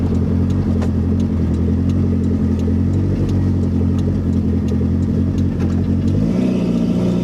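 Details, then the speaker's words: Toyota MR2 Turbo (2nd gen) with JDM 3S-GTE swap, first drive after fixing vacuum/boost leaks, running with only turbo downpipe and no muffler, high idle noted; loud raw drone pulling evenly through revs, no misfire or stumble: normal running. "so everything's running right it sounds good it would sound much better with an exhaust but I'm gonna drive this bad boy right now anyway"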